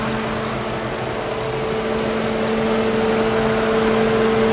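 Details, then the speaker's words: Normal radiator cooling fan operation on a Lincoln Town Car after replacing the worn-out electric fan motor; engine warm at normal temperature, thermostat opened, steady even fan hum over idle without rattle or wobble. "You hear the fan. This radiator hose ain't really that warm. It's holding right at normal. Boy, it's good to hear that fan going."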